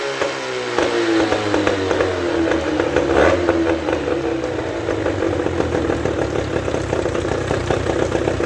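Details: Mercury 13.5 hp two-stroke outboard after overheating and carburetor repair (water tube reinstalled, carb cleaned, air needle set 1.5 turns out): a brief rev that rises and falls, then a steady, even burble with no misfire; normal idle.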